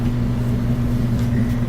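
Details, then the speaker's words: Whirlpool gas dryer that would not start, after thermal fuse replacement and vent airflow check: starts right up with a smooth, even low hum from drum and blower, no squeal, thump or scraping. "So there we go, started right up, sounds great."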